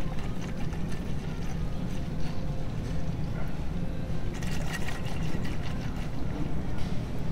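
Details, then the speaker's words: VW cooling system being filled via reservoir: irregular gurgling as coolant goes in is air escaping from the self-bleeding system, level dropping; no gurgling would mean a blockage. "so what you do is you just fill up the reservoir and you'll hear it gurgling as you're filling it and that gurgling is is a sign of air escaping"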